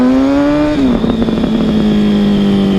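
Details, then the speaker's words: Honda CBR1000RR with custom fabricated over-tail exhaust: deep, even exhaust note, revs easing down then holding smooth and steady with no misses; normal healthy note. "So it's pretty slick, sounds really nice."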